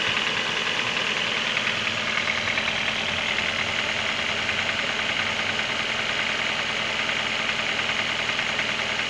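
Sharp, fairly regular ticking knock about three times a second over a steady idle; an internal engine knock of unknown origin.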